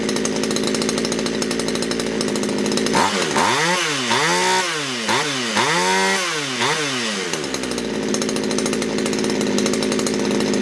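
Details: Poulan Wood Shark chainsaw with a no-start problem, after the low jet was leaned out slightly: runs steady, then surges up and down in quick rising and falling revs; racing idle, flooding, owner suspects a sticky needle and seat.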